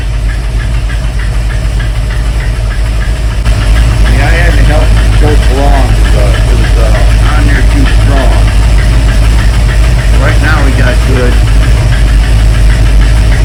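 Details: 1971 Mercury Comet GT V8 on a cold start (around 60°F, choke set) idling with a steady light knocking-ticking-clacking near 200 a minute, seemingly from the front of the engine and worse when cold; source not yet found, fuel pump and valve train suspected.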